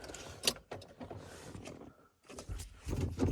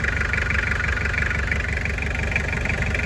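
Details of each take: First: Toyota van with 2L diesel: starts but idles poorly, loses power, heavy steady knocking about three per second, louder with revs; cause thought to be a spun rod bearing. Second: Toyota 2L diesel van at idle after replacing one cylinder's connecting rod bearings suspected of causing knocking: even low rumble and steady clatter, no rod knock. Normal diesel idle after repair.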